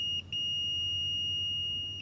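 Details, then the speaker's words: Multimeter on continuity setting, leads touched together before testing a Whirlpool Cabrio dryer heating element: steady high beep with short breaks as the leads touch and part; continuity tone works. "And that's just checking for a continuous path to make sure nothing's broken."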